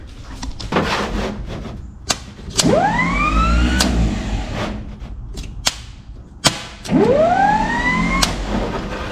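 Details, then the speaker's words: Free 1951 Plymouth with freed-up seized engine, jumper cables straight from battery to starter: two bursts of electric whine rising in pitch with no engine turnover; starter spins freely, Bendix not engaging, owner suspects it's frozen. "Okay, so looks like the Bendix is not engaging. It's probably froze up."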